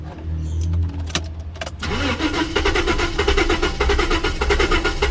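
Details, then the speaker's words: 1988 Jaguar XJ6 (XJ40) after water got in the fuel tank, cranking: the starter churns unevenly, then one cylinder catches with ragged pops and lots of smoke, but it won't run. Crank, no start, firing on one cylinder. "it's actually kicking on one of the cylinders and it wouldn't be from many Go Juice I put in it cuz that was ages ago it's getting better A lot of crap lot of smoke coming out"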